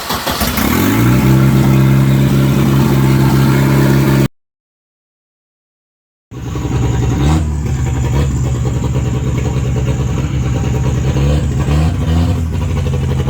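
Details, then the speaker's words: Turbocharged redblock Volvo 240 wagon: low, uneven engine drone with a lumpy pulse about three a second; running on fuel leaking through the fuel pressure regulator via the vacuum line into the throttle body, so it never responded to tuning. "hear the way that thing's running I don't know yet but that car is running off of fuel that is leaking through the fuel pressure regulator through the vacuum line into the throttle body"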